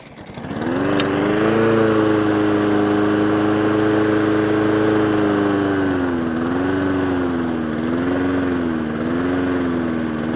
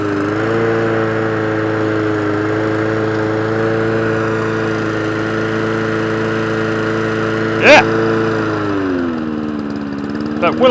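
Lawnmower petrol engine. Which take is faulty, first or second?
second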